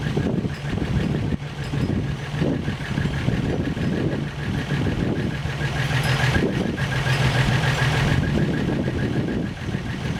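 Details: First start after engine rebuild, warm at 195°F thermostat temperature, oil pressure pegging a 30 psi gauge; steady, even idle with smooth low hum, no knocking or misfire, healthy; slight exhaust leak and some smoke noted.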